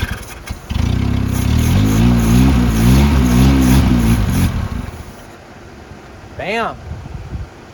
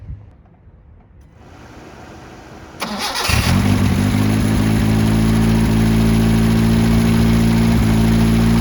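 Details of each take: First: 1977 Honda CVCC, first start in 11 years after swapping the stock CVCC carburetor for a Weber 32/36: catches and revs loud through a cut-off straight pipe, picks up cleanly, runs evenly with no misses or knocks; normal running. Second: 1977 Honda CVCC with Weber 32/36 replacing stock carburetor, first start in 11 years: brief cranking then a very loud, raspy, blunt idle because the exhaust is cut off and runs as an open straight pipe.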